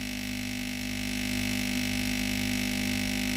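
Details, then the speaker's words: Philips GC9682 steam iron with no steam output: steady buzzing pump hum with a faint rapid pulse while no water is drawn from the tank; the failed water pump was replaced along with the water valve. "La pompe à eau ne peut pas pomper l'eau du réservoir d'eau."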